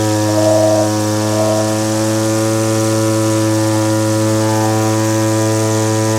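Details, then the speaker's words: Old Echo curved-shaft string trimmer powerhead, small two-stroke: running rich ("two-stroking quite a bit"), so the high-speed mixture is leaned; a steady high buzz held near one speed, with the speed rising, stopping short of max to avoid running too lean. "You'll hear the engine speed come up as I do that, but you don't want to go for your max speed because then you're running too lean."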